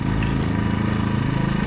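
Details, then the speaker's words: AiVolt 1600/1260 W gas portable inverter generator idling in eco mode: low, soft, even hum, barely audible, with no surging or misses; healthy and quiet. "Right now, I've got it on um eco mode. You can barely hear it idling. I'm going to turn it off eco mode and it'll be a little louder."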